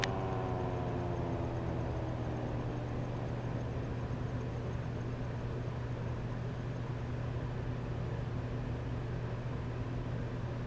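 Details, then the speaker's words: Old vintage metal-bladed circulator fan, originally a bathroom exhaust-fan model, restored and repainted, running on bushings rather than bearings; after switch-off the hum drops smoothly in pitch and it coasts a long while with no scraping, a normal, healthy rundown. "And if I shut it down, you guys can hear how long it takes for it to shut down."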